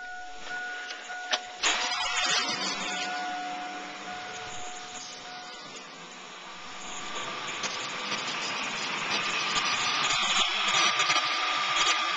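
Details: Accessory belt after the power steering pump pulley was pressed back up its shaft with a tool and aligned by straight edge. The engine cranks, catches and runs evenly with no chirp or squeal; the belt now runs quietly.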